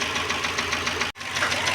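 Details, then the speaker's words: Renault Clio engine at idle with quick, even light ticking about eight times a second, a loose-valve tap; engine also misfires, problem suspected in rocker arms/valves (valve clearance); cracked air-filter housing and oil leaking at manifold noted. "o carro apresenta falha aí e provavelmente aí que o problema estão nos balancinhos nas válvulas aí tá bom"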